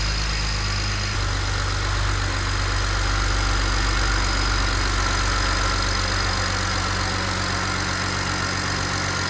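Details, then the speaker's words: BMW E91 335i start after fitting a replacement N54 engine and servicing the ZF automatic gearbox: starter whirrs briefly, then a smooth, even idle with steady low hum and no knocks or ticks; healthy normal idle. "So, let's give this another try. That sounds [ __ ] mint, man. Oh my god."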